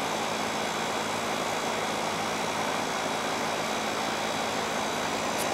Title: 2 goodman AC systems yearly maintenance